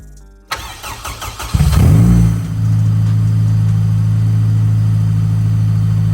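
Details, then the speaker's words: Honda K20 EM2 Civic after IACV cleaned to cure idle surge: cranks, catches, flares, then settles to a steady, even idle just over 1000 rpm, slightly high, no hunting, coolant 68 °C; normal idle. "she's idling perfect it's a little bit high in the idle but she's not doing too bad"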